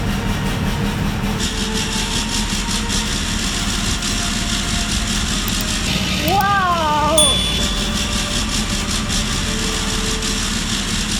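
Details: Range Rover L405 3.0 TDV6 diesel, rebuilt engine with a new genuine trigger wheel, no exhaust and many sensors and hoses disconnected: loud, uneven, stumbling firing with no steady rhythm; it runs rough on first ignition.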